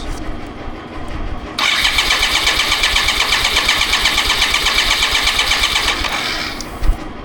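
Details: 1995 BMW K75RT motorcycle after 9 years sitting, testing injectors after new Z intake pipe, fan and temperature sensor: engine catches and holds a quick, fairly even raised idle for a few seconds before shutting off; sounds healthy.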